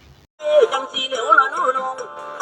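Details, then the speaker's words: Repaired horn speaker driver, formerly silent from a shorted lead, after re-centering the diaphragm by enlarging mounting holes to prevent distorted sound: music plays clean and loud with no buzz or rattle; normal playback. "ทีนี้นะครับในกรณีที่เราได้เสียงเป็นที่น่าพอใจแล้วอ่ะนะครับอ่ะมันดังดีแล้วล่ะนะครับ"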